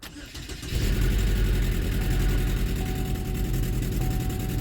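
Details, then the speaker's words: 2012 Chevy Equinox/Terrain, first start after engine install: starts much easier after reattaching ground wire but runs with uneven stumbling beat; code still shows cylinder 3 coil, likely misfire from failed ignition coil. "well you can see it started much easier we still have a misfire so likely that coil is bad"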